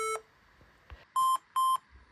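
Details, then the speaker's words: HP laptop at power-on won't start, keyboard light blinking: short, even, mid-pitched beeps repeating in cycles of five, indicating RAM failure. "blinking so guys I've counted and that bleeping noise was a cycle of five times if your laptop is making that same noise then this is what you need to do"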